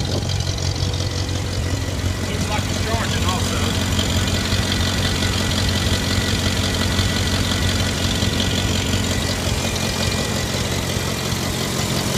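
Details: Later-model IH Farmall Cub tractor before tune-up, choke linkage disconnected, after a dead battery: steady low idle with a loose uneven beat; worn, maladjusted carburetor makes it run real bad.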